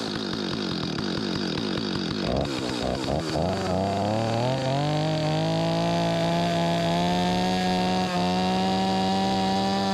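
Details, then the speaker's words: Stihl 025 chainsaw, owner reports a no-restart once warmed up; choked pull-start catches and revs unevenly, hunting and stumbling before a rough steady buzz. Fueling problem, later traced to a stuck carburetor diaphragm causing flooding; low on gas at the time. "Yeah, it's definitely got some fueling issues."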